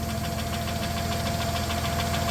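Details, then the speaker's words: 1993 Plymouth Grand Voyager SE, revived after 18 years parked, at idle: fast even tick over a steady idle; owner thinks the cam is getting eaten up, crank pulley shows slight wobble. "I think that Cam is getting eaten up"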